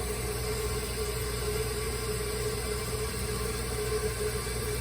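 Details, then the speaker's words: Toilet tank refilling after a broken flapper was replaced with a new one. Steady rushing hiss through the fill valve with a faint constant hum and no surging or sputter; the float rises toward the fill line for a normal refill. "And you see the water is coming in through the fill valve here. The water is approaching the fill line. You're going to see the float move up and the water will cut off."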